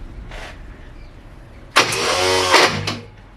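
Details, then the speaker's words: Porsche 924 during ballast resistor and coil wiring work: a harsh starter whir of about a second cuts off abruptly with no firing, so the starter motor jams while cranking; a component is still getting unusually warm. "Starter motor jammed. Try it again."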